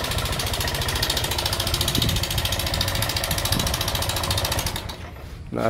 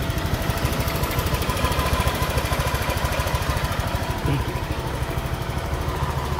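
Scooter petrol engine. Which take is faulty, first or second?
first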